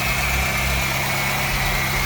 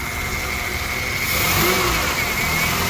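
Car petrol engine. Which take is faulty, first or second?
second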